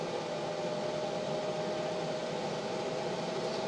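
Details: Montek X1200 prototype power station (1200Wh LiFePO4, 2,000W inverter, 2200W rated) loaded past rating to 2800–3200W before overload: steady loud rushing whirr with faint constant hum, no pitch change; cooling fan working flat out.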